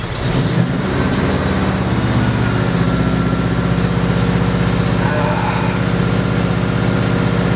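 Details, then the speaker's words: 1965 Ford Galaxie 500 V8 after a drive, whining heard earlier: loud idle with uneven lumpy beat that never smooths out; rough idle, owner suspects carburetor fuel/air mixture rather than vacuum leak, unconfirmed. "I don't like that Idol Idol I'm gonna cut it off and just hope and pray it's gonna start when I'm done here"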